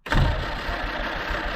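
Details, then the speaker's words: 1946 Jeep Willys CJ-2A after sitting for years, new plugs, fuel poured into carb; engine catches with a thump, stumbles unevenly on throttle and dies, owner says it keeps flooding: rough running then stalling. "all righty so we've been playing with the Jeep for a minute and well I can't get it it keeps on flooding"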